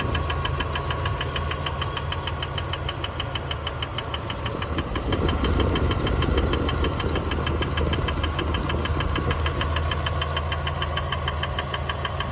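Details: 1999 Dodge Dakota 4x4 Sport, 3.9 V6, 200K miles: steady light clicking about three a second over an even idle; the belt looks fine and the owner suspects a pulley, cause not confirmed.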